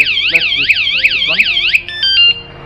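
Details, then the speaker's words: Motorcycle anti-theft alarm, armed by remote and triggered after its warning stage: a very loud, high warbling siren sweeps about three times a second, then a few chirps. Alarm siren sounding normally. "That is very, very loud. My ears are already ringing."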